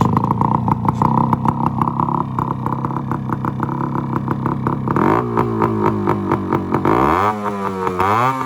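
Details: 1974 Yamaha RS100 two-stroke cafe racer after setting contact-point timing just before top dead center: crisp, even crackle at steady fast idle, clean blips rising and falling smoothly; running normally.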